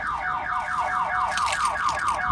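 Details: 1997 Pontiac Firebird V6 that won't start: a rising, repeating electronic whoop about four times a second with no engine running. The factory anti-theft alarm is triggered and blocks starting until the car is unlocked.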